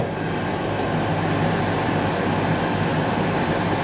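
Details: Cosori Dual Zone air fryer with both drawers on air fry at 200° in sync cook, preheating. The fans make a steady, even rush with a faint low hum and no rubbing, ticking or wobble; both fans sound healthy and normal.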